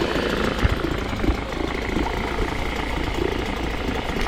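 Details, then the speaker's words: 1998 Nissan 5 hp single-cylinder two-stroke short-shaft outboard with internal fuel tank, after a carb clean from sitting a while: a busy, even putter at a steady idle without stumbling, then a clean cutoff. Quiet for a 1-cylinder 2-stroke; normal idle. "It's honestly pretty quiet, being a 1-cylinder for a 2-stroke. Yeah, I think that carb clean did the job."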